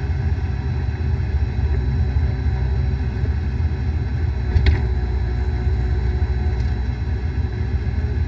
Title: Bad Bearing